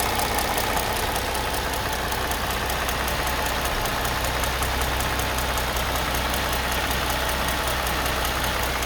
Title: m272 engine tap and light squeaking noise problem. noisebetween 700rpm and 1500rpm. Need Help